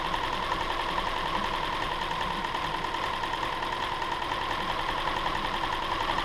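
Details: 2007 Subaru Outback 2.5 SOHC interference engine, wrecked rollover parts car with shattered cam pulley, test-fired after timing belt replacement without cooling system: even, busy ticking idle, no misses; smooth running, no valve damage evident, no misfire codes.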